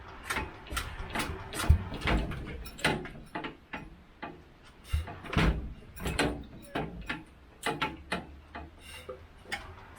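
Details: Petter AC1 diesel Kango generator, probably late 1970s, long unused and weathered, near-freezing; slow uneven hand-cranking clunks with no firing, won't start, decompression lever feels wrong, possible water in oil or fuel.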